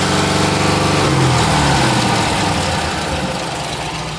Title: What's that banging sound? Oops